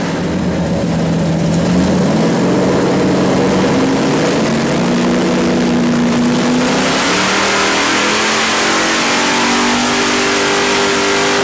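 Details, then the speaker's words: 451 stroker Mopar big block (1976 400 block) for 1973 Dodge Charger, Edelbrock Performer RPM aluminum heads, Sniper EFI, warmed to 160° on dyno; full-throttle pull from 4,600 rpm, smooth climbing tone, no misses or knocks; normal full-throttle pull. "Man, that sounded a lot better. All right, so 4,600 RPMs is where we're starting from, because it's revving so quickly through the RPMs now."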